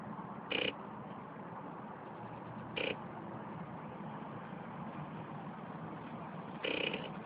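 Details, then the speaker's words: Recently bought Kawasaki motorcycle with 19,000 miles, ridden fine from Pennsylvania to New York; now, with clutch pulled and kill switch on, pressing start gives three short buzzy clicks and the engine never cranks. Cause unknown. "I'm doing everything right clutch the kill switch is on and everything but it just makes this weird sound like a clicking sound"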